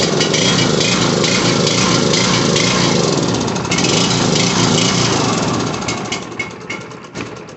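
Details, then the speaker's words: Coleman Powermate 1850 W generator (PM0401855) running just after the recoil pull rope repair, carburetor still needing service. Loud, rough running whose speed sags and wavers instead of holding steady: engine surging, hunting idle. "it's oh yeah all right so it just needs the carburetor done on it now you can hear it surging but the recoil is good on it"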